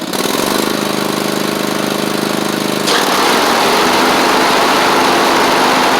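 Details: Troy-Bilt Mustang Z46 zero-turn, after wiring, coil and blade repairs: fires and holds an even beat, then a fuller rush as drive and blades load it; runs fine though it chokes at start-up, possibly an overly happy fuel pump.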